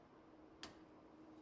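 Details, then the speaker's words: Electric scissor lift emergency lowering: manual bypass valve pushed in and quarter-turned left gives one soft sharp click or thud, showing the lowering valve is now open as it should. "Do you hear that little thud there? That means that this thing is now open."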